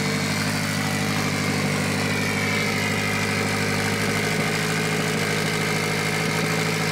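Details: Mitsubishi Evo 8 4G63T turbo engine on the lift, at first start after a rebuild. A fast, steady idle that never settles down. An air leak is suspected, with a hose found not hooked up.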